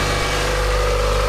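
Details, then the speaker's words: Mazda Miata idling after restart on a charged, previously dead battery, following battery light and coolant boiling/overheating; steady even idle, smooth low hum, no chirp, squeal or tapping, sounding much better. "It sounds also better now. Yes, that sounds a lot better. And it's Everything is looking working good."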